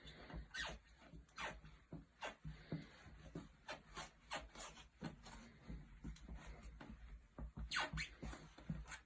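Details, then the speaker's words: Footsteps on a wooden floor bring short creaks and rubbing squeaks as the boards give. The squeaky area is located and marked before drilling and epoxy resin injection, so this is before repair. "A proven squeak repair system will eliminate the unpleasant sounds quickly and effectively without disturbing the floor surface. First, we identify the squeaky area and mark it."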